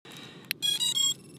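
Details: Cinematic FPV quadcopter as the battery is plugged in before flight: a click, then a quick run of three high electronic tones. This is the usual healthy startup chime.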